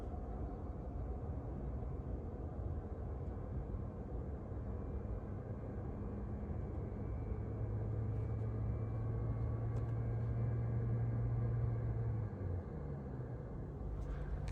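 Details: 2022 Tesla Model 3 rear-wheel drive with heat pump, on a very warm day, rear vents on: a steady low rush of air swells a little and holds even, with no rattle or squeal; cabin blower working normally.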